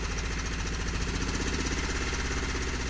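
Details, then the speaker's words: 4WD truck engine just started after fitting a new fuel pump and filters: lumpy, uneven chuff and shaky beat at idle, feels like running on three cylinders; compression later tested fine (190–205 psi); rough running, cause unconfirmed. "alright we got some work to figure out but it's going that's cool"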